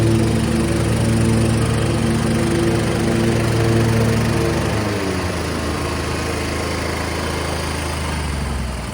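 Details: MTD Gold garden tractor with 54-inch deck, 26 hp Briggs & Stratton V-twin, about 447 hours, after the wiring fault was fixed. A smooth, even drone settles to a lower, steady pitch around halfway through without stumbling. Normal, healthy running.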